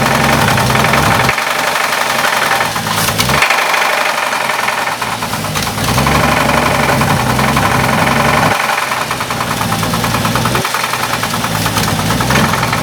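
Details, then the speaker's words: Heavy, uneven knock at low speed that comes and goes as the revs swing, right after timing was set, with vacuum lines loose; rod-bearing knock on the same reused crank despite the UTG donated parts. "You gotta push hard. That's the rod. What do you think? It's rod. It's the same crank."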